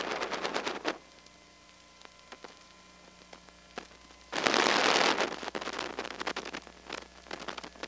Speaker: I'll turn up the volume here you can hear a bunch of step noises and a power supply buzz from a is